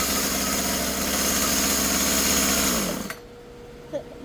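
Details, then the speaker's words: Husqvarna 36 chainsaw after carburetor, fuel line and filter replacement, low set 1.5 turns and high 2.5, cutting wood: high two-stroke buzz holds steady under throttle then drops cleanly; normal running. "Works great."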